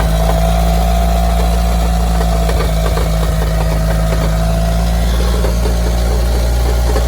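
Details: Evo engine at steady idle with a fast, uneven rattling knock deep in the block, felt at the bottom of the pan and much quieter with the clutch depressed, persisting after a new balance shaft belt and rod bearings; later found to be a wobbling flywheel.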